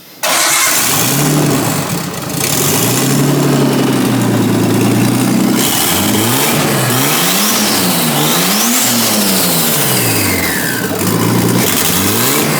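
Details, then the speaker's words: Nissan R32 Skyline barn find with new turbo and intercooler, first start after restoration with little exhaust fitted: catches fast, idles loud and raw, clean revs rise and fall smoothly with faint turbo flutter; healthy normal start and rev. "just a little bit of no exhaust you can't really hear like yeah you can hear a little bit of flutter though which is awesome"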